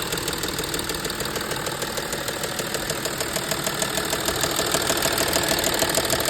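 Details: Audi A6 C6 2.7 TDI at a steady diesel idle with a regular light tapping, about three per second, riding over it. The owner asks what the knock is; origin unknown.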